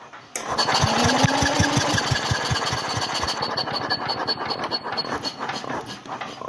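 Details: Old Onan generator, last run around 1983–84, spark confirmed, on electric start: quick steady cranking pulses around 170 a minute with no firing beats; the engine spins on the starter but won't start.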